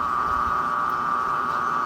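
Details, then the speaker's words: Washing machine drain pump pumping water out before spin, somewhat worn and louder when running without water: steady, even mid-pitched whirr without pulsing or grinding; normal operation for this pump. "esse barulho que vocês estão ouvindo a princípio é bomba de água ela já tá com um tempinho de uso também sem água ela faz um pouquinho mais de barulho"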